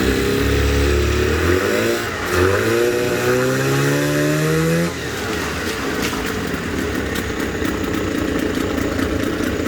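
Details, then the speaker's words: Suzuki DT6/DT8 two-stroke outboard with a makeshift Chinese walk-behind-tractor carburetor fitted (choke not working; original carb was the fault): revs up with a clean rising note, then drops back to a steady even run without stumbling; runs normally. "такой колхоз, но мотор работает."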